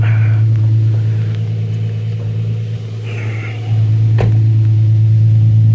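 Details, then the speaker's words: Infiniti G35 after O2 sensor replacement with thread-chased threads and battery disconnected overnight; deep smooth exhaust drone holding steady with one brief dip and recovery; back to normal. Normal idle. "I'm gonna go ahead and start it up for you guys so you can see everything's back to normal. Gotta love that exhaust note."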